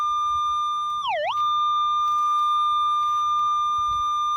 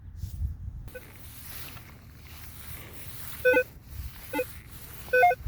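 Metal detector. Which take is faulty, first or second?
second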